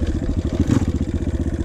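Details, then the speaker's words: Dirt bike ridden casually in second to third gear, upshifting to stay in low to mid rpm: quick, even single-cylinder exhaust pulses at steady mid-range speed, running cleanly. "and you can hear the rpm is never super high because i don't need to accelerate i just want to be in the low to mid rpm range"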